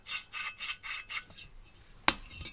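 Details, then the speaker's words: Mercedes OM 646 821 diesel cylinder head, first exhaust valve twisted on its seat before lapping: dry, gritty rasp in short rhythmic strokes; the seat is rough and pitted, still unlapped. "как он будет звучать после притирки так попробую намазать просто не по всей длине окружности а только по части"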